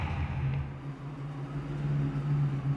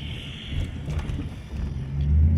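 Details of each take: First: Ford/Mercury 4.6 V8 Grand Marquis, misfiring since a water crossing: pulls away with an uneven, lumpy beat, clearly down a cylinder from a failed ignition coil. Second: Lifted Mercury Grand Marquis 4.6 V8 driving after installing cheap eBay/Amazon coil packs and clearing misfire codes: deep even rumble rising under load, no stumble or miss; runs normally.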